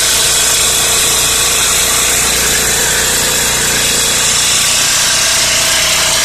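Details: Four-stroke generator that ran but gave no electrical output, after replacing the capacitor (20 µF plus 4 µF, totalling 24 µF): steady even running at constant speed, no knocks or misses; engine mechanically healthy.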